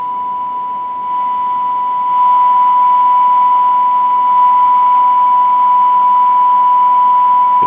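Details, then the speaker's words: Used radio on a signal generator with a strong signal and test tone: constant hiss and white noise that shouldn't be there. This static points to the receiver being out of tune or faulty. "hear that hissing noise in the background signal this strong you shouldn't hear any hiss I don't know if the camera can pick that up or not but um some white noise coming in there with a signal on that shouldn't be that says that the receiver is Out Of Tune or it has a problem"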